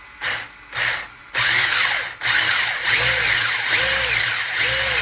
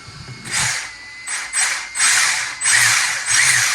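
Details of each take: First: 1/10 Holden Heroes VE SS Ute RC car with replaced brushless motor and Hobbywing ESC, belt drive to all wheels: short throttle blips building to a smooth high whine rising and falling cleanly, no grinding; normal brushless motor run. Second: 1/10 RC Holden VE SS Ute after replacing the brushless motor and ESC: bursts of sharp ratcheting, about one and a half a second, as the cooling fan spins up, because wiring is catching the fan blades.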